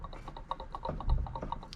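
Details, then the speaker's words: Used turbo from a BA/BF XR6 Turbo or F6 (bigger front housing, standard 106 rear, Ford housing), bought for an ED Falcon project and spun by hand: a quick, even ticking each turn instead of a smooth whirr. It is tired, with a chipped compressor wheel, and needs a core. "very tired. Uh, it's got a chip missing or part of the wheel missing here. Um, so it needs a core."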